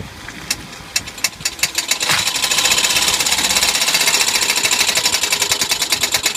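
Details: Sharp, crisp metallic knocks from a Suzuki Jimny, first scattered, then a fast steady rapping of several a second over a quiet engine.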